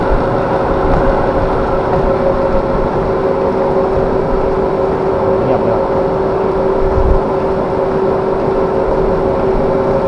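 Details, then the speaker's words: Rice mill after bearing replacement, drive belt slightly loosened: steady even hum with smooth drone, no howl, knock or rumble; belt no longer howls, running quietly. Normal running. "ตนี้หย่อนสายพานหย่อนนิดนึงไม่แต่เงียบเงียบอยู่แต่ตัวนี้กระพือหย่อนโอเคเงียบแล้วนะครับ"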